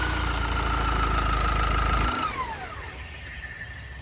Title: M9R weird noise / M9R garip motor sesi